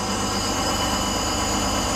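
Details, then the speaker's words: Crown school bus with Detroit Diesel 2-stroke 71-series engine just started: constant electric buzzer over rumbling diesel idle, low air pressure warning until the brake air tanks build pressure. "So, the air pressure has to build up in the tank. That buzzer is going to let you know there's not enough pressure."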